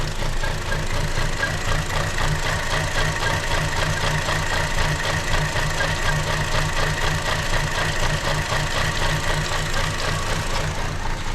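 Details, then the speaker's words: 2015 Chevy Cruze 1.4L with check engine light and lean code: low, lumpy idle with an uneven pulse around four beats a second that never smooths out; lean running from a suspected vacuum leak. "Yeah, she's on the struggle bus."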